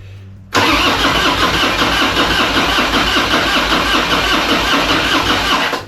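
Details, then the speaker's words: 2001 Harley-Davidson FXDX Dyna Twin Cam, 26k miles, after upgrading the cam chest from the old spring camchain tensioners. Cranked for about five seconds with an even whirring churn and never fires, because the HT plug leads were left off for safety. "try again did we unplug it we got no HT leads on duh that's why it ain't starting left them off for [Music] safety"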